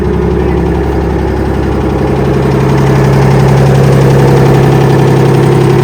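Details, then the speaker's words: Kenworth/RFW 6x6 off-road garbage truck with two-stroke Detroit 6V53 diesel and Allison automatic, started after sitting at least 4 years; loud steady unmuffled drone, even beat, no misses, pitch creeping up; running well. "The motor's also running quite well."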